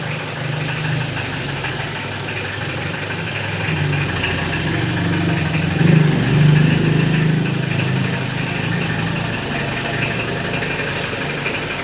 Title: very loud knocking sound on this L300